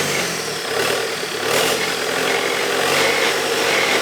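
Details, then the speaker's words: Bobcat T320 track loader Kubota diesel, fire-damaged rebuild, restarted after high pressure pump repair and priming with new filter: diesel clatter holds even idle with no misses or hunting; runs smooth and steady. "let me crank it one more time i just like the way it starts so"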